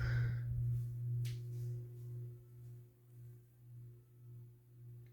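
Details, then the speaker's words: SMC-UB42 ceiling fan, about three years in use, on low speed: low steady hum with slow rise and fall about twice a second as it turns; motor hum still audible but less than on medium. "it's not as bad on low for like hum"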